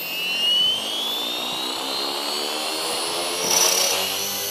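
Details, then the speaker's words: Align T-Rex 450 Pro DFC RC helicopter, testing which bearing (tail, main or motor) is bad: high-pitched whine climbing as rotor spools up with thin harsh edge, ugly sound heard closer; a bearing is suspected worn. "Came closer, but you can hear the ugly sound from the salmon bearing."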